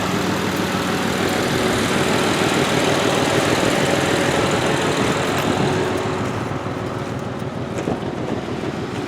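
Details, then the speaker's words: 2003 Honda Accord EX scrap car, windshield note says needs number 5 coil, spark plug and valve cover gasket; runs but skips, rough idle with a regular stumble about three times a second, misfire likely from a failed coil. "But it runs, but it skips. So go ahead and shut her down. Doesn't make it a bad car or anything. Like I said, you could go and put you another coil pack in it"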